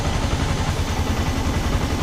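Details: Yamaha R15 V2 with misfiring (palyado) and hard-starting complaint: uneven idle with lumpy, stumbling low beats and irregular gaps in firing rhythm; misfire at idle, cause not yet found.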